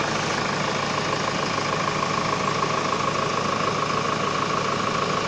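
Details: Hyundai Starex VGT diesel idling after fixing code P0192 fuel pressure sensor crank/no-start issue; steady, even diesel clatter with smooth, unchanging tone, healthy idle.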